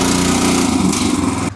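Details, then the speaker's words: Engine-driven pump unloading a tank: the small engine hunts up and down, its note wavering as the pump sucks air. It surges because the tank is nearly empty. "Okay. Do you hear how it's surging? So, should be pretty close to empty."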